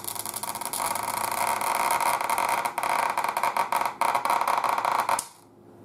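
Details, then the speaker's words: 1940s Spiegel Air Castle tube radio under repair, previously recapped by someone else: harsh sizzling crackle with sharp snaps, about four a second, from something arcing inside; it later stopped, drawing 80 watts. "can actually hear it arcing I can hear the damn thing arcing"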